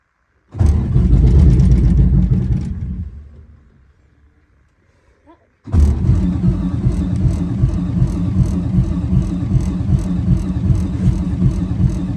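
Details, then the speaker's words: 1985 Peterbilt cabover, 8V92 Detroit diesel, after fitting new Delco Remy 39MT 12 V gear-reduction starter: cranks with much more power, fires, dies, restarts and settles into deep, slightly lumpy cold idle. Healthy. "should start oh that sounds like a heck of a lot more power"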